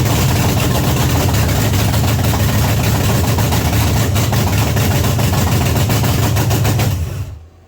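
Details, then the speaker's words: 1979 Pontiac Trans Am 400 V8 first start after long storage: loud, open, uneven lumpy idle, black smoke from the carburetor before cutting off; running very rich, floats possibly set too high. "Boy, it's really rich. Wow. Son of a whore. Now it's smoking out of the fucking carburetor. It's really, really rich."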